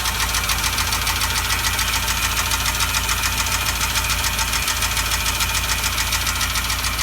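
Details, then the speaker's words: Renault Logan petrol engine, warm, at idle: steady sharp knock about three to four beats a second, started after driving on three cylinders with a burnt-out spark plug; cause suspected, not confirmed. "автомобиль рено логан слышатся какие-то звуки на холостом ходу все это началось"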